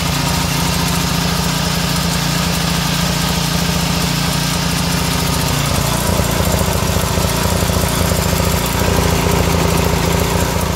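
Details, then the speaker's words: Small single-cylinder pressure washer engine running on vegetable oil instead of motor oil, a little warm, no smoke: uneven, lumpy beat about three or four pulses a second; rough running, though it reportedly sounded somewhat like that before. "i don't know if she's gonna make it boys she's uh she sounded pretty rough but kind of sounded like that before a little bit warm now no smoke yes though"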